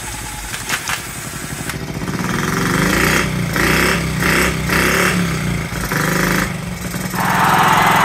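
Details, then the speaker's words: 1969–70 Honda Z50, first start after about 35 years: small single idles unevenly, popping and hunting in bursts; running rich, owner guesses slide needle set too high and air needs adjusting. "guys really running rich and my guess if I can guess is that um the slide needle is up too high"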